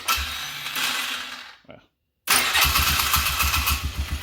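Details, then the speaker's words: Polaris Sportsman 500 ATV after swapping a faulty new CDI box for a different one; short crank, catches right away and settles into an even, steady idle pulse; normal start and idle. "this sister and idols is as beautiful as can be"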